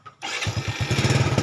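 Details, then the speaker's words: Yamaha Vega ZR after starter motor replacement: short clean starter whir catches at once into an even single-cylinder putter; starter engages smoothly and healthy. "Sekarang, saya akan menekannya di sini. Lihat , suara motor starternya sangat halus."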